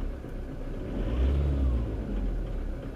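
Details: Car after new fuel injectors were installed and coded with an Autel DS708 Pro. Previously it ran poorly and cut out going uphill on cruise control. Now the engine picks up and settles smoothly with no misfire or injector tick; it runs normally.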